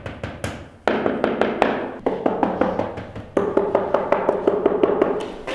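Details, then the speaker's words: Tap test on newly installed wood-look porcelain floor tiles: sharp taps ring hollow and clacky instead of a dull solid thud, because the installers did not use enough glue underneath. "So basically, my dad's checking the tiles, the way they glued them down, and you can see that several tiles sound hollow because they weren't stuck down with enough glue."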